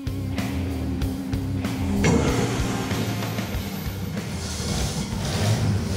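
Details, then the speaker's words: Worn Ford 300 inline six running for the first time in about 15–20 years, on old points with a shelf ignition coil and ballast resistor: steady low idle with an even beat, no knocks or rattles. 56 psi oil pressure. "it's working oh my god it has 56 pounds of oil pressure that is the worst set of points i've ever seen work it runs it's running this engine has not run in probably 15 20 years"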